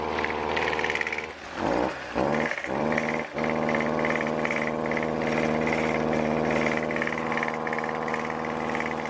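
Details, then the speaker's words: Two-stroke weed trimmer before repair: starts easily but the steady buzz dips and stumbles early, then holds a flat, lazy pitch with no snap; bogging from a clogged exhaust spark arrestor screen. "So, As you see, it does run, but it doesn't exactly do what it's supposed to do. So, if yours sounds like that or does a very similar process or similar thing, uh, we'll go ahead and fix this uh, with ease."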